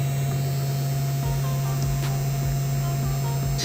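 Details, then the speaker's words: ALLPOWERS S200 power station's modified sine wave inverter overloaded by a heater during overload protection test: loud steady low buzz with faint higher whine, makes a weird noise but does not shut off. "It's making a weird noise. However, it's not shutting off the inverter."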